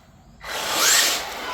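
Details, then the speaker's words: 4200KV brushless motor from Amazon, first test run with a 20-tooth pinion; sharp rising whir with slightly uneven pitch climb, a little hesitation, then pulls hard and peppy. "A little hesitation, but she's going to be pretty peppy on 20 tooth pinion."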